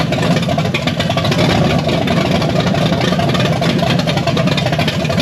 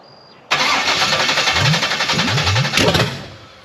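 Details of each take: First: Blueprint 540 big-block Chevy in a C10 with 870 cfm Holley Street Avenger, Aeromotive regulator, open headers, after setting initial timing to about 14 degrees: loud, steady rumble, even beat, no misses or stumbles; normal idle. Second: Blueprint 540 big-block Chevy in a C10 with Holley 870 cfm carb and open headers, second start attempt: cranks then catches with uneven, lumpy firing and stumbling; rough running, acting way out on ignition timing (initial timing later set to 14 degrees).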